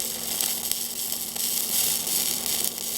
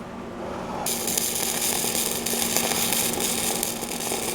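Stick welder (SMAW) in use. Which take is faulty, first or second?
second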